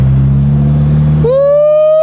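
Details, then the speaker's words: Honda S2000 AP2 with a rebuilt, newly turbocharged engine on its first easy street drive. A deep steady drone, then a clean tone climbing smoothly as revs build, with no knocks or rattles. Acceleration is normal. "Then we're gonna take it out on the streets and drive this thing for the first time since we turbocharged it and rebuilt the engine."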